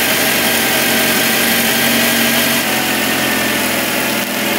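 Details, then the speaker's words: 1978 Mitsubishi Colt Sapporo RWD coupe, first start after sitting since 1993, running off choke without fuel or air filter: steady, even idle hum, no misses or knocks, no vibration; normal healthy idle. "wow that's pretty good that's really good isn't it how nice is that look no vibration at all with no fuel filter on it and air filter"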